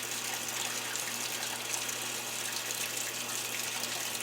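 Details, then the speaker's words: GE Cabrio washer model WTW5550X, after replacing a damaged control-board capacitor with a 1000µF 10V part, auto-sensing and then filling: steady, unbroken rush of water into the tub, a normal fill. "i'm waiting for that water to start pumping in i hear water"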